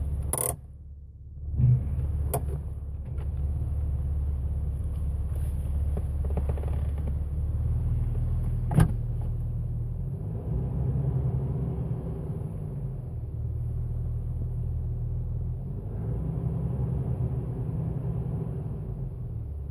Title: Jeep Wrangler TJ Buzzing Sound at low RPM